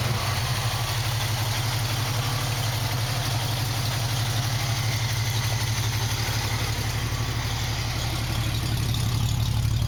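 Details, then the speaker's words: 1965 Ford Mustang V8, already warmed up, with the choke now repaired so it starts easily: settles into a steady, even idle with a smooth low rumble and no misses or knocks; normal idle. "Now that I got the choke working, it starts a lot better. I've already had it running, so it's going to start right up."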